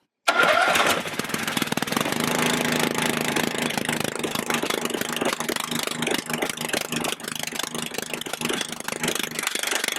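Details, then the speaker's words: Husqvarna RZ30 zero-turn mower, Briggs 16.5 hp engine, after muffler refit with double gasket: rough idle with sharp chuffing puff each beat, faint exhaust leak, suspected at the existing flange, possibly burnt spot. "There is a very faint exhaust leak right there. It has to be that flange, the existing flange."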